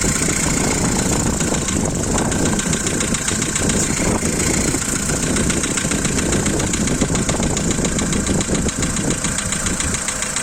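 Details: Volkswagen Polo 2012, 1.6 CFNA engine, cold start: fast, light, even ticking keeping pace with engine speed over the cold idle, one lifter loud and a couple faint; hydraulic lifter tick that stops once warm.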